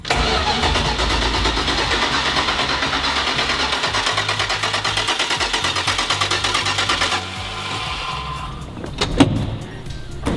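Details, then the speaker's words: 1970 Dodge Challenger T/A 340 V8 stored nine years, first crank to prime oil and fuel pump: steady rhythmic cranking about three beats per second for seven seconds, never fires; carb still empty of fuel, crank no start. "alright let's crank it ... just to prime the pump and the get all the engine lubricated by cranking the engine"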